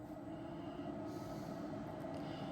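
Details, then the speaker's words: 12V fuel-fired cabin heater in a shuttle bus conversion, which had given a W-bus error and was sent away for repair. It is firing up with a cabin at 16–17°. Even fan rush over a steady combustion roar with no stumbling. Normal operation. "it's 17 16° in here now sounds like it's firing up"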